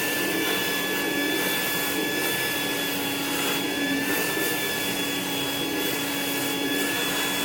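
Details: Rainbow E2 Gold two-speed vacuum after rebuild (motor parts washed, lower motor bearing repacked, new HEPA filter, belt, brush roll), water in basin: steady high whir, constant tone, smooth airflow hiss, no grinding or rattle; healthy.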